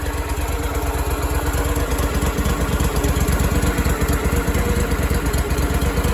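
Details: Power Trac PT-425 with Kohler 25 hp twin after oil leak and conversion kit fix, reassembled and fired: steady, even idle outdoors, no knocks or misses; normal running.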